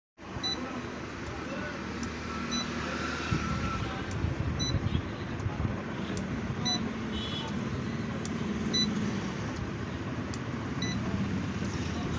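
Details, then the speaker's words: AC/DC ceiling fan on 220 V: short high beep about every two seconds over a low hum while the fan never starts, so the controller circuit is faulting; cause suspected, not confirmed. "जैसा के video की शुरुआत में आपने देखा कि यह ऐसी डिसीव दफन है और इसकी सर्किट है और 220 पॉइंट्स को दिए गए थे और यह बीप की आवाज दे रही थी"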